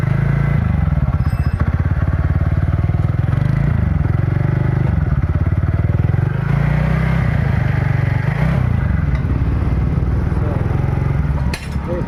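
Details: TVS NTORQ XP BS6 scooter engine running with a steady, even putter rising and falling smoothly with throttle, no rattle or clatter; sounds fine after loose self-start bearing nut, which had caused the noise, was addressed.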